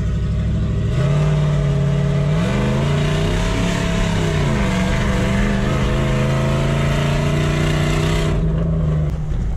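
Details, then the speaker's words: Mitsubishi Delica L400 with a 1UZ-FE VVTi V8 swap, exhaust off and intake shortened to cure a power restriction. The strong V8 drone climbs cleanly on throttle, then settles steady; revs freely with no stumble. "take the exhaust off and shorten the intake and you can hear it there it was going quite well"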